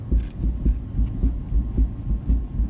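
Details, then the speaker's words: Farm equipment wheel with dry bearing rollers, rocked top to bottom by hand and foot; dull, low thumps about twice a second from slop in the bearing; loose wheel bearing. "hear that thump there is some slop in this wheel bearing anyway you should be able to hear that I need to get that slop out of there"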